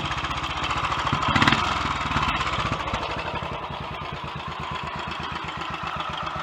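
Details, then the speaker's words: Royal Enfield Electra X single-cylinder, completely standard, first start after engine rebuild with new conrod, big end and piston and timing gear noises addressed: steady, slightly uneven idle with light top-end clatter, much quieter than before, acceptable. "well it's not perhaps as quiet as i thought it might have been but it's a hell of a lot quieter than it was when it came here i think actually that's uh acceptable"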